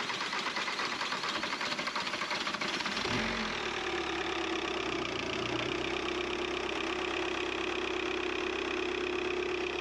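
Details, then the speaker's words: VW Caddy with swapped BKD diesel engine, first start after wiring fixes: brief cranking, then a steady, even diesel idle with light clatter; runs smooth and healthy. "I think that's a little bit of a result there, isn't it? is running."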